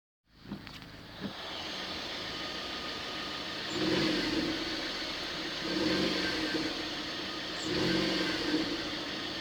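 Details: Car engine revved about every two seconds: each press of the accelerator brings a short screechy squeak that fades as revs drop; cause unknown.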